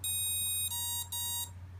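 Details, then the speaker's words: Emax Nighthawk Pro built-in BLHeli ESC entered programming by throttle: a short beep tune, then single long and shorter beeps as it cycles through programmable parameters (brake type, timing, start force). "so there's the programming beep that little song there so now it's cycling number three is cycling through each of these parameters"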